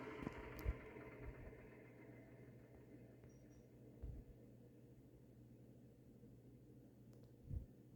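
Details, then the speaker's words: Tatung LA-12 12-inch 3-speed oscillating desk fan, about 1980, previously seized, bearings since flushed with oil, spin-down from high: soft whir fading evenly over low hum, no scraping or ticking; normal spin-down. "okay yeah that's definitely not a bad spin down time at all"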